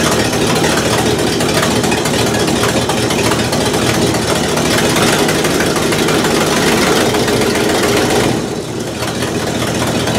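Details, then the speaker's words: 1968 Buick LeSabre V8, revived after no oil pressure and leaking head gaskets, valve cover off, warming toward about 190°: loud steady idle with even lope, no knocks or misses; oil pressure good, gaskets holding, normal idle. "head gaskets are holding up temperature is stable good oil pressure"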